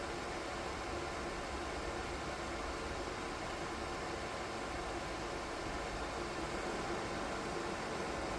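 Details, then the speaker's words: DIY 3D-printed soldering smoke absorber with 12 V 120x25 mm fan and PWM speed controller, run at maximum power (maker rates 44.4 dB max): steady airy rush with even hum, no rattle, ticking or bearing growl; fan healthy. "чим потужніший вентилятор Тим більш він гучний регулятор допомагає знайти баланс між потужністю та рівнем шуму для початку проведемо тест на максимальній потужності"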